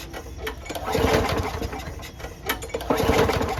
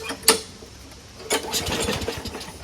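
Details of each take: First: Lawnmower after winter storage, little gas, no air filter: repeated pull-start bursts with no firing. It turns over with starting fluid but not when primed, though the primer works, so the carburetor is dirty or the jet clogged. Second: Lawnmower after winter storage, after a quick and dirty carburetor clean: a few sharp pulls, then the small engine catches and keeps firing in a light, busy patter. It now starts readily.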